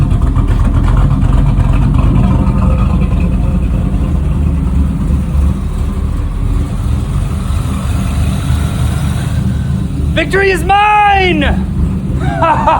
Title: 1989 Camaro carb rebuild and first start in 13 years :)